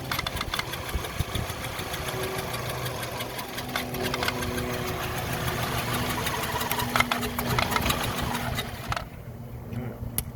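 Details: 2005 VW Golf Mk5 1.6 L Trendline, coil pack and spark plugs replaced, only code cylinder 4 misfire: uneven stumbling idle with lumpy beats and dips, then falters and stalls, hard to restart afterwards; rough idle.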